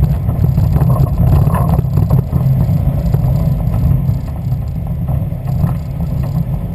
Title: Westfield Zetec engine misfire